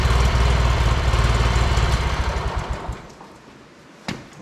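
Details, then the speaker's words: John Deere 116 riding mower, stored about two years with mice nesting in the engine, first jump-pack start after sitting; owner suspects non-ethanol fuel helped. The small twin thumps evenly and fires regularly for about three seconds, then is switched off and winds down. "I'm shocked that that actually started."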